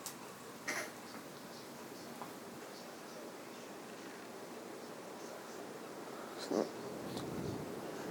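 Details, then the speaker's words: 1986 Casablanca New Orleans ceiling fan with a black-painted motor, on high speed: steady, even rush of air with no ticking, rubbing or motor hum, very powerful; normal running at high speed. "Very powerful fan. It's a very special fan. I like it very much."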